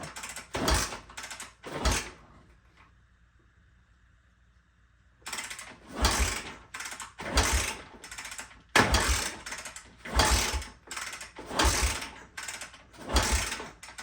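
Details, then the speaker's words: 1974 Honda XL 250, seller says only 60 psi compression, owner suspects a bad valve or piston ring; no fuel in it, choke pulled: repeated kicks barely catch with a faint cough, never running; hard starting. "Oh yeah, we got a little kick over. We got a little bit of something"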